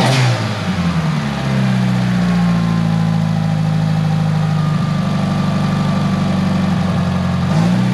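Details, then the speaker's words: Tial BOV just installed on a car started cold that morning: engine note hunts and sags as throttle opens, rough and boggy at idle; owner thinks it feels like fuel cut but smells very rich, cause unconfirmed. "well she's still running really rough and she's like bogging down an idle whenever you give it gas so I'm thinking maybe the I'm just thinking probably there's it feels almost like a fuel cut but it also smells like it's running really rich"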